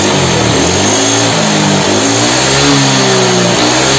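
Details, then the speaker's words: Honda Vario 125 LED scooter that had run out of oil, revving: rough, gravelly roar growing with revs, attributed to the crankshaft area; engine also smokes, blamed on worn piston; teardown planned to confirm. "untuk suara yang kedua adalah seorang SMS ini suara di bagian kruk-as lokasi"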